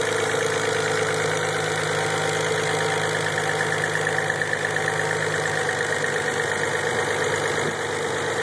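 Even, settled idle with a steady hum and no tapping or knocking standing out after start-up; sounds healthy.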